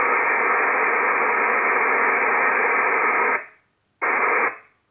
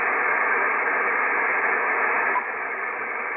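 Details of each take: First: Icom IC-7300 transceiver, no antenna connected, audio at maximum: steady loud hiss unchanged as RF gain swept to maximum, then cut off; internally generated receiver noise that RF gain and attenuator cannot reduce. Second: IC-7300 HDR transceiver with no antenna connected: steady internal hiss drops a step to a quiet, clean background; lowest internal noise achieved with first preamplifier on and IP Plus off, RF gain and attenuator having no effect.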